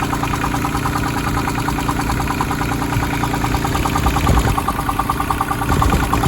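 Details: Branson 2500h tractor with A1100 diesel, three weeks old at 38 engine hours, idling with a steady knock about three per second over the clatter, not changing speed. Owner suspected the rocker arms but doubts it; cause still unknown.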